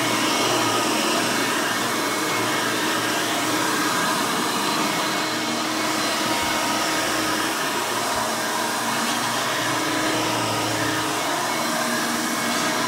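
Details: Vintage 1990 Hoover Elite 350 U4463-9 upright vacuum with a 5-amp motor running: a loud, steady high-pitched scream with an even airflow rush and no rubbing or grinding. The motor is healthy.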